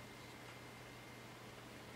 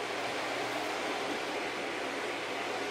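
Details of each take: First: Packard Bell iMedia S3720 desktop after a reboot, starting Windows: a soft, steady whoosh with a faint low hum and no rattle or surging as the rear fan turns slowly. It sounds quiet and normal. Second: Packard Bell iMedia S3720 tower with no display: a small fan of about 80 mm or smaller gives a loud, steady rush of air with a faint low hum and no change in speed. The board holds the fan at full speed with no display.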